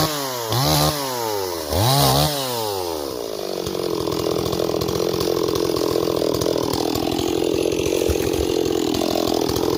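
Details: Stihl 026 chainsaw, returned by its owner as a no-start and repaired: two clean rev-ups, then a strong, steady cutting note under load with no bogging: runs healthy.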